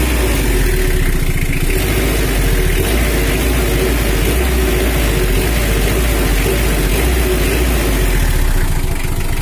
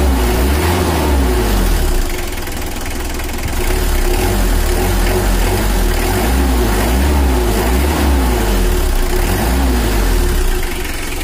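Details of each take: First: Brand-new Mitsubishi L300 diesel, after tuning from factory settings for more power and complaint of running hot on the highway: dry, even, strong idle clatter with no roughness, throttle response now immediate and following the pedal without lag. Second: Brand-new Mitsubishi L300 diesel, few months old, factory-standard untouched settings, overheats when pushed on the toll road: idling with gentle blips, dull lazy note picking up slowly; sluggish, before injection tuning for more power.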